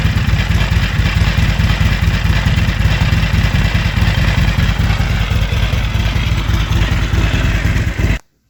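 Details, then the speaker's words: Harley-Davidson XR1200 V-twin at idle outdoors: loud uneven clattering from the primary over lumpy idle; oil clean with no metal, suspected primary chain slapping worn tensioner. "working on the Harley again still trying to chase down this noise that the primaries making"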